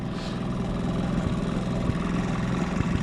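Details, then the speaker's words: Rare Honda P50 (P25) four-stroke moped with the engine in the rear wheel, probably unused for a long time: low idle putter with occasional uneven beats and stumbles. Owner suspects it is a bit clogged. "ah c'est le bruit il me reste un film je pense ça fait longtemps qu'il a pas tourné peut-être un peu bouché"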